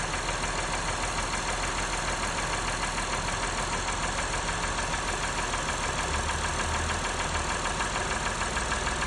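A steady idle with a light, fast tick about three times a second on top; the ticking has no clear cause.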